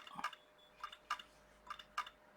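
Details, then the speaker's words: IBM ThinkPad 390 laptop hard disk drive at power-on: sharp, quiet clicks in pairs about every second over a faint steady hum; drive suspected faulty. "turn it on now I know it's on because I can hear the hard drive clunking"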